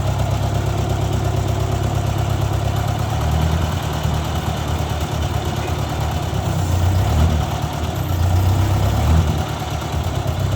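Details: 1956 Ford 640 tractor restarted after first start in years, oil pressure confirmed (pinched gauge line): steady, low, throbbing idle, even beat, no knock or miss; runs really good but still rich and a little smoky, carburetor needs adjusting.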